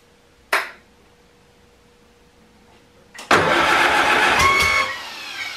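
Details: Farmall Super A tractor, cold restart after sitting, following ground and wire repairs that restored spark: click, pause, short crank, then fires cleanly into steady even idle with no misses; normal start.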